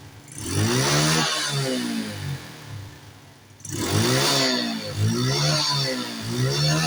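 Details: Carbureted Honda Wave / Yamaha Mio-type motorcycle with exhaust backfire, after the leak at the air intake connection was sealed with glue and clamped; two clean rev-ups back to a steady idle with no pops or bangs, backfire cured.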